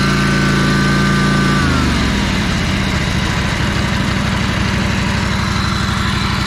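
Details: Ferris 52-inch walk-behind hydro mower with a twin-cylinder engine, after fixing a spark plug fault: revs fall, then settle into a lumpy, uneven beat, still smoking and lacking power under load. The cause was a bad carb O-ring blocking a fuel jet.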